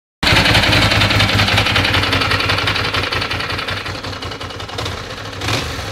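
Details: 1996 Ducati 600 Monster twin idling with throttle blips; a busy, uneven ticking clatter rides over the beat. Abnormal engine noise, cause not identified.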